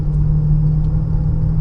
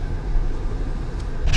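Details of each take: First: Honda Pilot (2014 in title, owner says 2015) with a steady low drone under road rumble at cruising speed that grows when steering left and quietens when steering right. This points to a worn driver's-side wheel bearing; previous mechanics suspected the VTM transfer case. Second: 2015 Honda Pilot road test after wheel bearing replacement and axle nut torque, at about 40–60 mph. Only low tyre and road rumble is heard, and the earlier bearing noise is gone, so the wheel bearing is normal.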